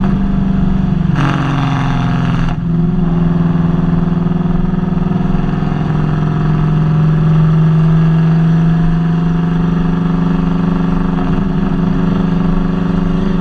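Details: Nissan VH45DE V8 (Kouki) idling with an uneven, stumbling beat of roughly three pulses a second instead of a smooth hum; engine misfire.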